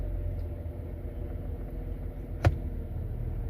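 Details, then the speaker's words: 2004 Mercedes E320 after water damage took out the range selector's optical chip, now repaired: engine idling, foot on brake, shifting into reverse gives one soft, firm thunk with no slam or slip; normal transmission engagement. "I'll show you that while the car's running too. So reverse, you hear it engage."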